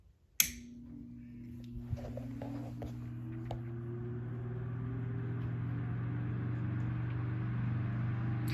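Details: Circa-1958 Westinghouse 10LA4 LivelyAire one-speed desk fan, previously rewired: a click, then the motor starts a low steady hum rising smoothly as it spins up; runs evenly with no rattles or scraping.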